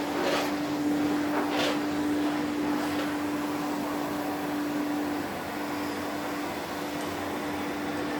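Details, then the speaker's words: 1972 Electrolux Z310 cylinder vacuum cleaner after its very dirty fans were cleaned and bearings greased: steady, even whir at constant pitch with no rattle, scrape or grinding, and quiet wind down; motor running normally and quietly. "so we'll give her a quick runaround just so you you can hear how quiet the motor is you can see that the automatic floor tool floor tool works fine and it has a nice quiet wind down"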